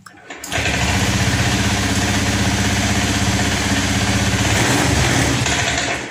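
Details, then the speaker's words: Honda Scoopy ESP FI automatic after tank cleaning, following throttle-position mode 1 setting; catches and holds steady idle but won't rev on throttle; injector cleaning next, clogged injector suspected. "Teman-teman, di sini tetap motor tidak bisa digas. Selanjutnya ini akan kita coba bersihkan di bagian injektornya Pak, karena banyak sekali kendaraan yang mengalami hal seperti ini, tidak bisa digas ataupun berbet Pak."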